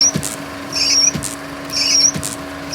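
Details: Wiper blades after glass coating: high, shrill squeal on each pass with a soft thump at every turnaround, blades sometimes jumping; caused by dirt on the windshield.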